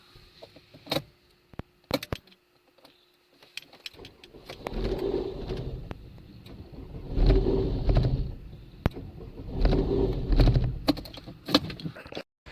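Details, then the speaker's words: Vauxhall Mokka hot after a long run of 20–30 miles: slow, uneven cranking in surges about every 2.5 seconds with a rattling clatter like a bag of spanners, and no fault codes. Hot restart crank struggle; battery, clutch/flywheel or crank sensor suspected. "like i say here in that video it sounds like a bag of spanners rattling around in the engine"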